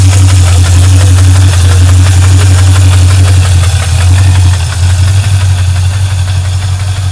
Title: Ticking noise